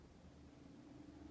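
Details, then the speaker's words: 24-to-220 V 500 W pure sine wave inverter, idle current 350 mA at 26 V, with about 100 W lamp load: only a faint soft hum, no buzzing or whine; running quietly as normal. "не шумить він не шумить"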